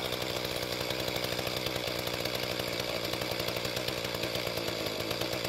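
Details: Mantis tiller two-stroke after carburetor adjustment, tilling dry hard dirt; steady high buzzing revs while digging, no bogging or sputtering, pulls fine: normal running under load.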